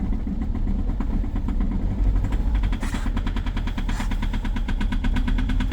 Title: EXTREME START diesel at -22,0°C with a very strong knocking sound, egr off 2.0 hdi #rybin